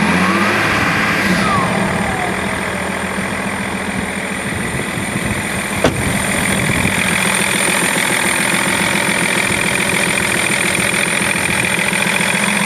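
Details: BMW E46 330d six-cylinder diesel at steady idle with a light, fairly regular clicking tick about three to four per second; source not pinned down.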